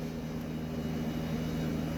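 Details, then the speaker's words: 1976 Eaton Viking dehumidifier with homemade plywood front panel, after taping thick rubber to vibrating panel: steady fan and compressor hum, faint residual buzz from unbalanced fan, heard from one side only; vibration now acceptable. "Any vibrations that you do hear, very slight, and you only hear it from this side. If you're standing here, the fan is so loud it completely drowns it out. Fan and the compressor."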